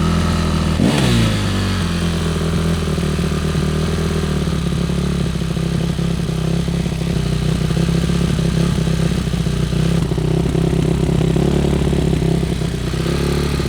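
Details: Yamaha YZ450F single-cylinder four-stroke after carburetor cleaning, oil change and hot-start troubleshooting: idles steadily, revs up cleanly and drops back evenly with no misses or popping. Normal running and revving.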